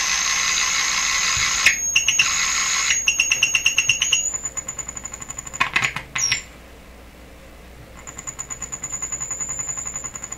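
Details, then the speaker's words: Deforest 10DA517 AM tube radio fitted with glass tubes instead of the specified metal ones: high steady oscillation whistle broken by probe clicks, slowly fading back; clipping onto a grid cap does not change it, cause unknown. "that's kind of interesting it doesn't seem to be affecting the uh oscillation at all when I clip onto the rid of that too"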